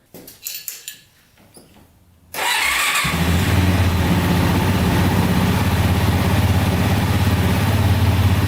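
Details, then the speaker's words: Quad after repair of bent valves (suspected skipped timing; piston, rings, cylinder undamaged), reassembled and started to warm up: fires and settles into steady even idle, no knocks or misses, no leaks yet; normal start and idle. "everything works the way it should so this thing's ready to rip ready to go let's quick start it up one more time just to let it warm up"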